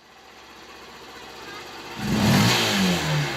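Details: Honda 125 motorcycle that misfired under load and revved slowly, after cleaning a cloth-like blockage from the injector and restoring its spray pattern: quiet start, then picks up cleanly and revs with a smooth rising note, no stumble or misfire.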